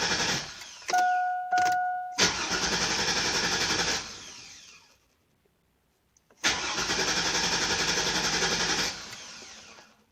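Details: 2002 Chevy Avalanche 2500 with a bad fuel pump: cranks, catches briefly, then dies twice in a row and won't keep running; fuel starvation from a weak pump.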